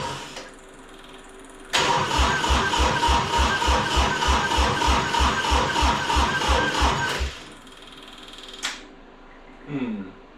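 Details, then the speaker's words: Three-cylinder Kubota diesel repowering a 610 Melroe skid loader, first fire-up. Steady cranking, about three compression pulses a second for five seconds, never catches. No fuel: the powered shutoff solenoid held the rack closed, starving the injectors. "turns out this fuel shut off Works opposite what I thought I popped her off there and actually with power to it the pin is out pushing on the rack shutting the shutting the injectors off so I cut the ground wire now she should fire up just wasn't getting any fuel"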